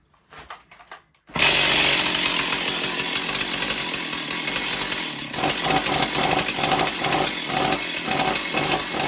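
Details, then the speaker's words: Stihl 028 Wood Boss chainsaw, not run in a long time: after a quiet start it fires into a high, ragged, unevenly surging buzz; choke flap fluttering open and closed rapidly, starving the engine of air. "So that means that the that choke baffle is opening and closing very rapidly, and she can't get her air in to actually run."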